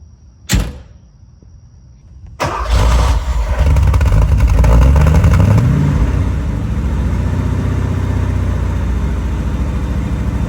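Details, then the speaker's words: 1978 Porsche 928 (number 295) V8 starts, revs, then settles into a lumpy, uneven idle. It is running very rough after sitting blocked in the garage by the '93, and the owner says it just needs an "Italian tune-up" (a hard drive). "and so it's running very rough right now it basically needs what what we've referred to as a Italian tune-up where you just go out and drive the damn thing"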